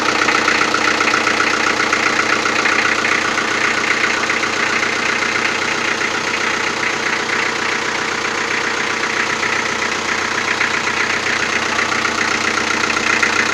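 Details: Toyota 4B diesel knocking after injection pump repair (plunger pair and nozzle replaced), timing adjustment not fixing it, cold idle in frost: sharp fairly regular clatter about four knocks a second; cause unclear.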